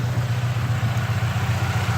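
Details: Saab Aero just started after a head gasket replacement, oil and coolant still mixing and heavy smoke: idle pulses unevenly at about seven beats a second, lumpy and rough. Owner suspects the cylinder 3 sleeve, not confirmed.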